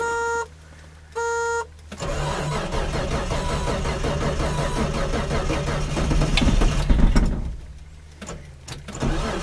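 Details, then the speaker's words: Datsun 280Z on a cold start around 35°F, unrun for a week or two, with a cheap replacement starter: two chimes then about five seconds of slow, labored cranking at roughly four turns a second; weak starter sluggish in cold. "the starter I bought a el Cheo starter for this car when I was getting it you know ready to run out of the junkyard so it's a little sluggish and cold weather"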